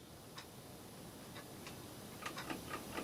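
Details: Warburton Franki WF 2 E timeswitch after cleaning, motor turned back on: quiet light escapement ticks start hesitantly as static friction breaks, then settle into a quicker even beat; working properly.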